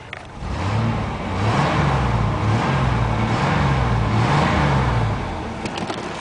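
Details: 1993 GMC Safari minivan V6 at 221,000 miles: rises from idle into a couple of smooth revs, pitch climbing and falling cleanly, no knocks or misses; runs great, healthy.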